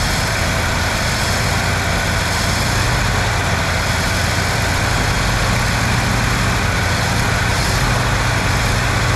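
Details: 1971 Chevy C10 first run on the key: deep, even idle holding a steady speed, no misses or surging; idle may need turning up a hair; sounds level and consistent, normal idle.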